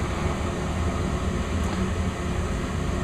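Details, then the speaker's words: Westinghouse gas furnace, indoor unit in attic, installed new, kicking on after thermostat raised to 70; steady even low hum with faint thin whistle, no knocks or rattles, before blower starts. Normal furnace startup. "It works really good. Does a good job at keeping the house warm in the winter time. Fan should start right up."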